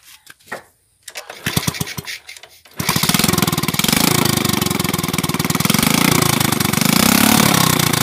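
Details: Motorcycle that sat long in rain and sun, restarted after fixing a failed ground wire and replacing a rusted fuse, no muffler fitted: a few cranks, then fires into a loud rapid, fairly even bark; running normally.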